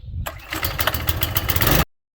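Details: Earthquake Victory tiller small engine, started with choke after being run earlier, following drive belt replacement; pull catches at once into quick, even firing pulses over a throaty run; normal start.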